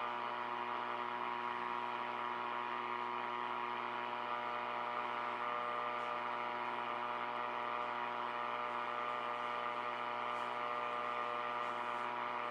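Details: R5000 receiver on dusk, LED street lights nearby; steady buzzing hum with stacked even tones over hiss, mains-type interference, suspected from LED street lights or neighbours' Christmas lights, cause not confirmed.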